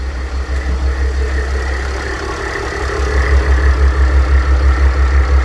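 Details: Mercedes W211 with OM642 3.0 diesel at idle: a rough whirring over the steady pulsing beat from a worn A/C compressor clutch bearing; replacing the bearing solves it, no sound anymore.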